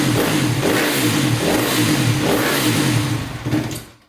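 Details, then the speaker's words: 2010 Honda CRF250R after valve shimming and cam timing check, first start attempt: fires and revs unevenly about three and a half seconds, then dies; stalls, owner suspects it needs more gas. "Alright, well, she ran. That's a start. She ran, but she shut off. So it sounds like it needs more gas."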